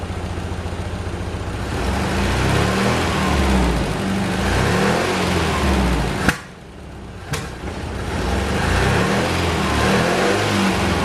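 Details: Saab 900 Classic with a rebuilt Zenith/Stromberg CD175 carburetor, days after its first start following years of sitting: the engine note is uneven and lumpy and sags, nearly dying for about a second before recovering. The owner earlier suspected the timing.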